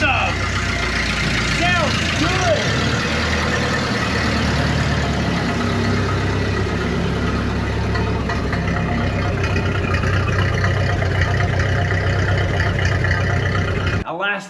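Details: 94-year-old Ford Model A, cold start in mid-40s°F after 30+ years sitting, new exhaust fitted and battery cables reworked: steady, even low idle with no knocks, misses or hunting; healthy cold idle.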